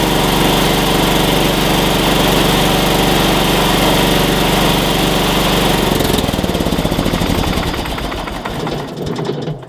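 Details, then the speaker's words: Engine jump-started with a NOCO Boost GB70 2000A jump starter in force mode, battery positive terminal disconnected: strong steady drone holding even speed for six seconds, then winding down smoothly at shutoff; runs healthy. "Alright, so basically it took me a minute, but once I got this depressed for 3 seconds, it actually went into force mode and we were able to start it."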